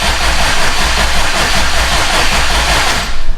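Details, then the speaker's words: Subaru STI with a freshly installed turbo engine, cranked without firing to prime oil. Oil pressure is showing but the center warning light is still on; crank in short bursts to avoid overheating the starter. A continuous churn building slightly in speed, with no firing. "But we still have a light on down there in the center. So I'm gonna keep cranking it. Just don't hold the key for too long. You don't want to overheat your starter."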